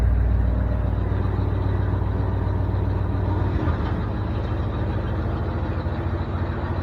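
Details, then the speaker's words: 1973 Ford F350 dump truck with the PTO engaged, temperature coming up, running on gas of unknown age: even, steady low rumble with no knocks or misses; it runs well. "this thing runs really good um coms just went by um yeah this thing ran really good it seems like it runs good anyway"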